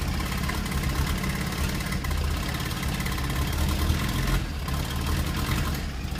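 Loud, lumpy idle with uneven low pulses and stumbles that never settle; a rotary running rough, probably misfiring.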